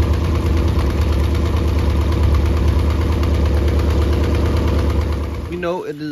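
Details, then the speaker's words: Mercury 90 hp outboard on a Shetland 535, run out of the water: uneven, lumpy idle with about three beats a second that stumble irregularly; bottom cylinder not firing, spark plugs swapped to test. "is not running on the bottom so I switched the spark plugs around just to see if that is it"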